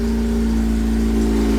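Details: Honda Civic EG with a K20 engine swap, running just after its first start-up: a strong, steady low drone with clear, even tones and no knocks or misses; the engine is running cleanly.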